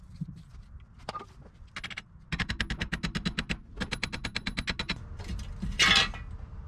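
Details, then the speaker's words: Old wheel hub removed from a 1998 Jeep Wrangler, spun by hand: fast, gritty rattling bursts instead of a smooth spin, compared against the new hub that doesn't sound like grinding; worn wheel bearing being replaced. "whoa get it yeah are you guys thinking that sounds shitty i think it's so shitty"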